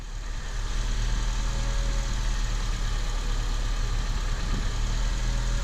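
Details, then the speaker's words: 2003–2007 Honda Accord idling steadily after warm-up with no power steering whine; pump had been running dry, fixed by adding power steering fluid, fluid still bubbling slightly as air bleeds out. "Yeah, guys, I think I fixed it. I don't hear the whine. Nope, I don't hear it."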